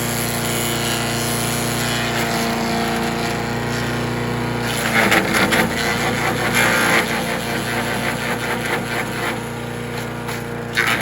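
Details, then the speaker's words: Troy-Bilt chipper/shredder, rough after carburetor reassembly but now running great, chipping branches on the second day: steady buzzing drone with branches crackling through, briefly bogging then recovering; normal running under load. Owner suspects rocks damaged the blades. "All right, we've ran through what gas I had in it, which was about half a tank, and it's done pretty good, but I think somebody's been dropping rocks in here."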